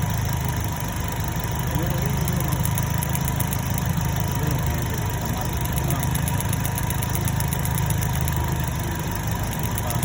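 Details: 2010 Chevrolet Cobalt 2.2 after repair: missing ground fixed at the starter relay and MAF sensor (P0102 cleared), bad cylinder 3 coil replaced. Low steady idle hum with an even beat and no stumbles or skips; idles smoothly without misfire.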